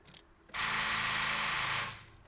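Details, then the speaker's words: 2010 Nissan Frontier 4.0L V6, battery still connected before jump-starting: short, high whirring crank about 1.5 seconds that stops without catching, gauge needles bouncing; weak cranking from a nearly flat battery. "Those are classic signs that you have a dead battery. It's not completely dead, but it's almost gone."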